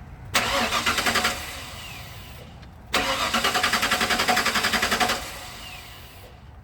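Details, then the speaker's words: Ford Bronco no-start: fuel pump heard running at key-on, then two cranking bursts of about two seconds, even beats near four per second; turns over but never fires. Check engine light on, fuel pressure present, so fuel pump not the cause. "well, I could be wrong for assuming the fuel pump is bad. She will not start right now."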